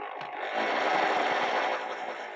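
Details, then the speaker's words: 1960s Aerokits Sea Nymph model boat, original motor on 3-cell LiPo about 12 V: steady electric whine swells then fades smoothly in reverse, no rattle; reverse deliberately slower than forward. "we don't want to go as fast in Reverse as we do forwards"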